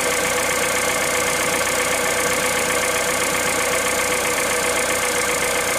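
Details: Engine cold at 65,000 km on Total Ineo ECS 0W30 oil: fast, fairly even light tapping over a steady hiss at idle; noticeable top-end ticking, cause undetermined.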